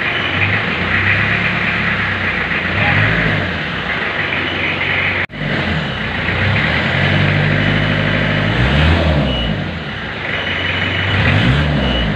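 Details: 1991 Isuzu Panther diesel during warm-up, engine said by mechanics to be still good, black smoke when revved: clatter climbs and falls evenly through several throttle blips with no knock or rattle; normal diesel revving.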